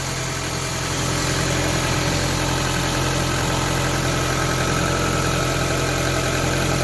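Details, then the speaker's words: Ford Focus Mk1 Sigma petrol engine idling just after oil and filter change, no leaks: steady even idle, smooth low drone with belt whir, no knocks or misses; healthy, belts noisier than engine. "That is how a happy Ford Sigma should sound like. There's more noise from the belts than anything."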